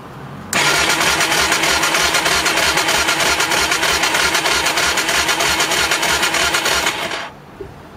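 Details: Motorbike that cut out while riding, battery recharged (voltmeter about 12.96 V, dropping and jumping back during cranking): starter cranks steadily, about three even pulses a second for six seconds, engine never fires; cranks but won't start.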